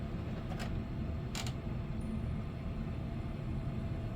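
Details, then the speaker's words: Sega CD Model 1 drive under repair after a blown driver board, still not reading discs: two brief dry clicks over drive hiss; owner suspects a dirty tray switch that isn't engaging fast enough. "that's a dirty switch too I can hear that that's a definitely a dirty switch just want to see how it acts it sounds different that's for sure still not going to read a disc"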